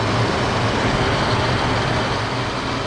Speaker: before we put the cover on we can test it oh yeah that's much better